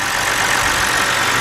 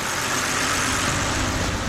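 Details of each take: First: 2010 BMW 528i, 3.0 engine, with code P0305 (cylinder 5 misfire) and rough running, after replacing the faulty cylinder 5 ignition coil: a steady, even idle with a smooth hum and no stumble; misfire gone. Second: 2010 BMW 528i, 3.0 engine, P0305 cylinder 5 misfire, check engine light, sometimes runs rough: rough, uneven idle with a loping exhaust thump. Unplugging coil 5 changes nothing while unplugging coil 2 worsens it; faulty cylinder 5 ignition coil.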